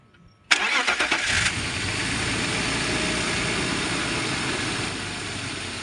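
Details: BMW E39 after valve cover gasket replacement for oil leak onto header: quick crank catches at once, settles into steady even idle with no misses or knocks; healthy start.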